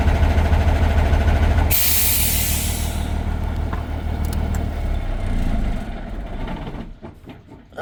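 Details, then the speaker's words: Engine rumbling while air pressure builds to 120 psi after air valve work under the dashboard, then a sudden loud rush of air as the governor cuts out; normal air dryer purge. "So, I'll just let the air pressure build right up to 120. And then when we hit 120, you should hear the air dryer blow off."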